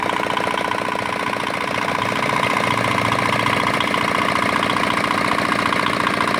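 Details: Old, modified Chinese R180 single-cylinder diesel used for wood splitting, after repair of a bearing knock/seizing problem (crankshaft already replaced elsewhere): steady, regular beat at even speed, no knocks or misses; runs healthy.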